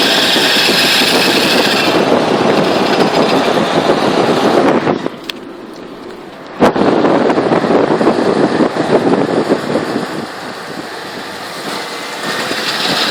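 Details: 2000 Jeep XJ with a newly installed 4.5-inch lift, no SYE yet, and U-joints checked good: harsh metallic grinding over road noise, fading then returning. It starts after about 30 minutes of driving and only in drive while moving; cause unknown.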